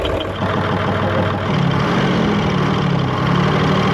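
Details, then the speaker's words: Hino Euro J08C six-cylinder truck diesel idling: a dull, rapid knock under the rumble, traced to the air compressor, where the piston had overheated and seized and a worn connecting rod had play at the crankshaft; air compressor connecting rod knock. "तो खैर मैं आपको बताता चलूं इसकी आवाज़ जो है कंप्रेसर की तरफ से ए रही है ठीक है कंप्रेसर की आवाज़ मतलब है किस चीज की है"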